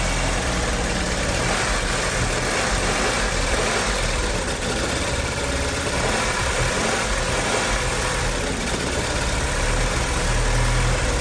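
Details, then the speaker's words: 2007 Audi A4 engine first start after rebuild with reconditioned oil pump and balance shafts deleted; loud, uneven, lumpy idle; owner suspects coolant and fluid sloshed inside when engine was inverted, cause unconfirmed; rough running. "I mean, it's running, but it's not running very well. So I'm just trying to figure out what's it choking on."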